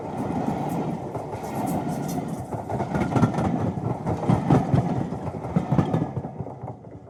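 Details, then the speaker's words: Hornby T9 model locomotive running on track after a motor replacement fitted with an imperfect-fit replacement bracket: rattly, buzzing run with uneven clatter. Noisier than before; the drive may be binding. Being run in to bed the new motor's brushes. "but it also means that she works and she is running but she's certainly not the quiet girl she was but you know it's okay it is what it is"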